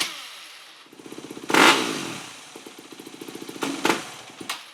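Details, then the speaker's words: 2008 Yamaha WR250F after carb rebuild and thicker accelerator-pump O-ring mod, still bogging but better. Even idle, then each blip flares and sags back: a rich bog off idle from a too-rich fuel screw or pilot jet plus accelerator pump. "Still bogging out. Well, it's better, but I also found a new problem, and I was going leaner and leaner with the fuel screw, and I noticed that it was getting better."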